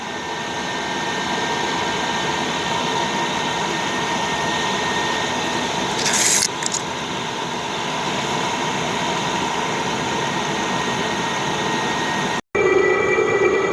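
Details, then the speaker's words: Chinese 8 kW (27,300 BTU) diesel air heater just installed in a garage, moments after the burner lit with warm air from the ducts: steady rushing roar like a small blowtorch with a faint high whistle on top. Normal burner operation. "Oh, I think the burner just lit. I got warm air coming out of the ducts. Like a little frickin' rocket engine here."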